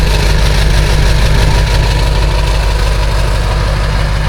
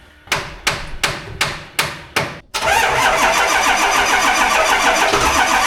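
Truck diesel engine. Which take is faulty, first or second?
second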